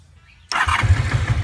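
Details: 1988 Honda Super Magna VF750 with new battery, long-unrun, oil light on, cranked with choke: starter spins in uneven bursts with a low pulsing churn, engine catching briefly but never running; cause not confirmed.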